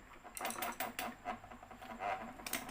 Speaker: จะมีเสียงแก๊กๆเลยนะครับอยู่ตรงนี้นะครับ